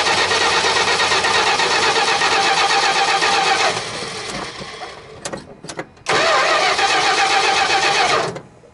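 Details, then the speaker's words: Dodge D100 stepside first start after a decade sitting, fuel tank emptied, Marvel Mystery Oil in cylinders: runs ragged, stumbles and nearly dies, seemingly on about three cylinders; massive vacuum leak suspected, not confirmed; rough running. "all right looks like we're running at least on three cylinders or so that's good [Music] sounds like we have a massive vacuum leak somewhere"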